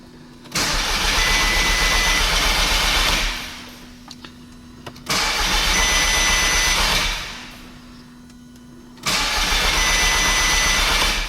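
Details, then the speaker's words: Cheap Audi S3 after an engine swap, about 147,999 on the clock, cold UK weather, fresh oil: three two-to-three-second cranking bursts with coil packs unplugged, steady fast chugging with no firing, to build oil pressure before first start. "I left the coil packs unplugged. Just going to crank it up and build some oil pressure."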